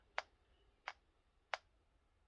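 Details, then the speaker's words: Game Boy Advance SP fitted with an aftermarket speaker amp, switched on and off; four soft, sharp pops about two-thirds of a second apart over near silence. These are normal amp power-up and power-off thumps. "That's me turning the amp on and off. You'll get it on startup. You'll get it on power off as well."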